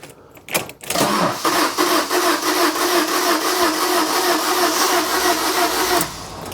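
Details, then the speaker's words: Fiat Doblo van that broke down on the M25 cranks evenly at about three turns a second for five seconds and never catches; engine management, oil and battery warning lights are on. "Let's see if you'll start. It won't start."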